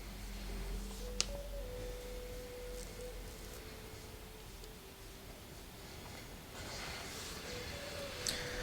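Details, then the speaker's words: Lenovo Y540 17-inch laptop under CPU-heavy game load; soft whirring that steps up in pitch a couple of times as the cooling fan ramps to mid-range, normal fan behaviour. "Okay, you kind of hear the fan speed kicking up to mid-range."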